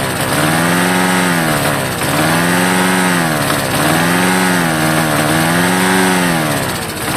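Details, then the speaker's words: Vintage Homelite yard-sale find: engine speed swells and sags about every 1.5 seconds, hunting and won't keep running on its own; has spark and compression, carburetor cleaning or a carburetor kit suspected. "Nope. It does not want to run on its own. But you hear it run. So, that's something. We know it has spark. We know it has enough compression to run."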